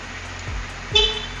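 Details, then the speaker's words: 2020 Honda CBR 250RR, about 6,800 km, over a quiet smooth idle: one short, clear, loud and steady horn blast about a second in; horn works properly. "klakson juga nyala."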